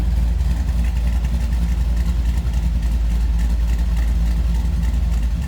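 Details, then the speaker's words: 1979 Chevrolet Camaro restomod with 5.3L V8, headers and true dual exhaust, electric fuel pump: deep, slightly uneven loping rumble at a warm idle with no knocks or ticks; normal idle with cam lope. "headers, true dual exhaust. Good sounding car."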